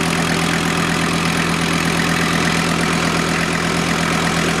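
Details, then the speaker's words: VW T4 Syncro van running after a major engine overhaul, power steering bled, exhaust warming: smooth even idle with steady low beat, no knocks or misses, no leaks. "I think anything running normal. Gas pedal feels good. No leaks appear."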